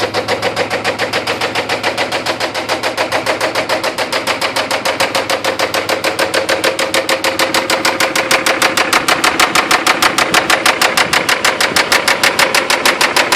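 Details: 3rd-gen Toyota 4Runner after getting stuck deep in mud nearly sideways: loud, sharp, even knocking at idle that follows engine speed; owner suspects lost oil pressure and over-revving caused internal damage.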